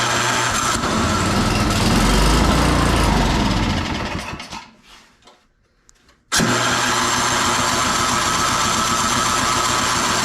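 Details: Free salvaged snow blower, oil checked and tires filled, plugged-in electric start after priming; small engine runs, dies away, fires again and settles into steady even beat; normal running.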